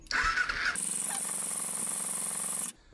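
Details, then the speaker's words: 2007 Kawasaki Ninja EX250 sitting since 2018 with old 87-octane fuel, cranked on a jump: starter whirs about four pulses a second for two seconds, sputters but won't start; spark present, carburetors suspected gummed up. "All right. Well, I know I got spark because it sputtered once or twice. I'm thinking these carburetors are just super gummed up."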